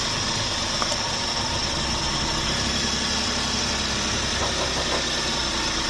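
Steady idle with a constant hiss and no missing beats or heavy knocking; the engine is running evenly and sounds healthy.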